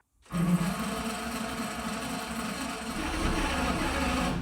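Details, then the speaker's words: Navy patrol boat's second engine, apparently long submerged, cranking with fuel pressure after oily water was shot from its cylinders. A steady whirring crank speeds up over about four seconds without catching; exhaust smell suggests it was combusting and trying to fire. "I actually think it might have been trying to start. It was spinning slow, and it started spinning faster and faster."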